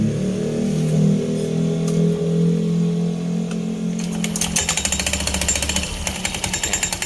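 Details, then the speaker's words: Honda Scoopy eSP scooter CVT: idle turns into rapid uneven klotok clattering knock about three a second; drive belt found very slack, lifting it makes the noise disappear; roller housing also suspected. "dari panbell pun vanbell kendor itu bisa-bisa gak temen-temennya bisa menimbulkan suara kelotok seperti tadi ya"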